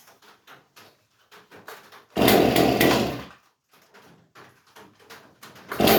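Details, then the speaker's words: Stihl MS311 chainsaw after ignition coil replacement, bar and chain removed; a few quiet pull strokes, then the engine catches and revs briefly in two short bursts; the ignition is firing and it runs. "Let's see if we can get her to fire. That sounded promising."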